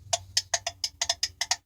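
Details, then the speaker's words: Refrigerator defrost timer turned by screwdriver into defrost mode: about ten sharp, bright clicks in under two seconds as the contacts close for the defrost heaters, normal operation. "is normal operation clicking or more operation clicking you hear that that was a contact closing for the defrost elements"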